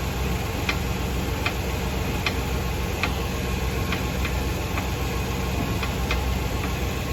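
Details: 2018 Fiat Novo Uno Drive: light, uneven ticks roughly every half to three-quarters of a second over a steady low rumble; suspension ticking noise.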